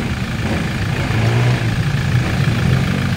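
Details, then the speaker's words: 2020 Toyota Innova 2.8 diesel idling after a failed front alternator bearing was replaced: a low, steady rumble with no knocks or rattles, now quiet where it was very noisy with scraping before. "so ibang-iba na po ang tunog ng kanyang makina at Hindi katulad nung dumating siya sobrang ingay po"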